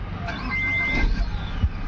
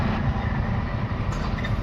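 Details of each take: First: MG Hector that cranked but would not start (fuel not reaching engine) now starts cleanly after the fuel problem was fixed: engine catches and settles into a low, steady rumble without stumbling. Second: MG Hector diesel, towed in, fuel line disconnected to check delivery: steady low cranking rumble that never fires; engine turns but no diesel arrives, fuel supply fault.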